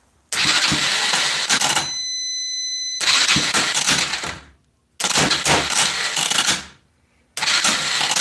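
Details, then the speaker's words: Four-wheeler after head replacement, cranking attempt: three harsh gritty cranking bursts that never catch; starter sounds bad, grinding, likely due to a low battery before using a jump box. "that sounds awful is it SP I think it's cuz the batter's too L painful yeah starter don't sound to good it probably is the battery"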